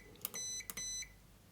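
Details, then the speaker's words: Electronic load unit in a 150 W maximum-power test at about 41.5 V, set just above 3.6 A (about 145 W reached): two short high-pitched beeps half a second apart, then a chirp, as overload protection trips and the load refuses to switch on. "спрацьовує захист навантаження він не включає О ну оце максимум який можна дати"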